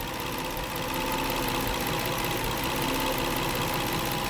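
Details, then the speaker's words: 2009 Nissan Maxima idling with an uneven, stumbling rhythmic bump; lifting one ignition coil stopped the rhythm, so its compromised coil boot insulation skirt is causing a misfire and that coil needs replacing. "One thing you can do is just manipulate the coils, just move them up a little bit, because the skirt, I'm gonna call it, of the insulation on the coil boot could be compromised."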